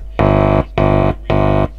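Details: Kriesler 11-7 radio giving very low volume on a strong station at full volume: touching the pickup input gives three half-second bursts of loud, buzzy mains hum. The amplifier stage works normally; the fault is suspected in the RF stage.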